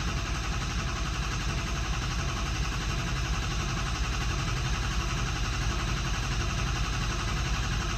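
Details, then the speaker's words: 2003 Ford F-350 6.0 Powerstroke at idle after a valve was reinstalled: steady, even diesel clatter at constant speed, no misses or knocks; running smooth, normal idle. "but so there you go so she's running smooth right now"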